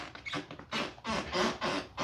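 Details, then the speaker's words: Old wooden floor in a roughly 60-year-old house: dry, rasping creaks with each step, still squeaking right under a 10×10 cm spot with 20 screws from an anti-squeak kit; the fix barely helped. "То есть скрип вообще не стал меньше. И скрипит прямо под саморезами."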